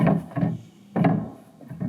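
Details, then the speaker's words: Church organ pedalboard with the pedal stops turned off: dull woody clunks, about five in two seconds, each time a pedal drops; the pedal mechanism needs rebuilding with new pads. "This just needs to be rebuilt and re put put new pads on."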